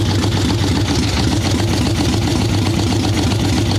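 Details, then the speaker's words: Harley ironhead Sportster XLCH chopper V-twin, Mikuni VM38 carb, cold wet day, with fresh plugs: loud, loping idle with soft uneven low thump, no crisp beat, boggy; running too rich, owner suspects not only the carb. "A little boggy for sure. She's not happy at all. That almost didn't sound just carb to me."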